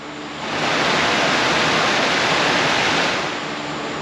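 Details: 1995 Ford F-150 replacement blower motor bench-tested on jumper leads from a battery: steady even whoosh, spinning freely without rattle or scrape, barely wobbly; sounds much better than the old motor.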